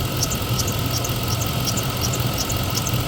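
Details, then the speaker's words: 2003 Chevrolet Tahoe after water pump replacement, warmed up: steady high squeal at idle with a faint chirp about three times a second; owner unsure whether the new water pump or the belt. "Are you gonna tell me a brand new water pump's making that noise, or is it just my belt?"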